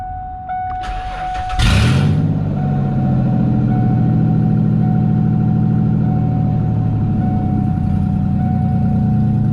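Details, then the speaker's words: 2003 Ford E250 cargo van, 114,239 km, catalytic converter suspected stolen: starter whirs, engine catches and settles into a loud, deep, raspy idle drone. Exhaust far too loud. "I'm just going to fire it up so you can see all the warning lights illuminate, and then of course they go off. Plug your ears, it's loud."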